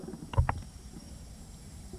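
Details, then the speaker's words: Honda B18C engine from AWD Civic with freshly rebuilt head, leak-down test at 100 psi on a cylinder showing about 5% leakage despite good compression: wet bubbling pops over a low air hiss at the catch can; blow-by past the rings suspected. "um this head just got done so I am hearing a gurgling noise though"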